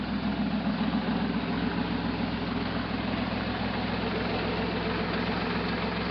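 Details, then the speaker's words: 1968 Jeepster Commando with Buick V6 on a 100°F day, warm idle after spark checks: an uneven, loping misfire plus a light mechanical clatter of unknown cause. Otherwise idles fairly smoothly. "It definitely still has a misfire. But it also sounds like there's some kind of mechanical damage going on. It idles really smooth though."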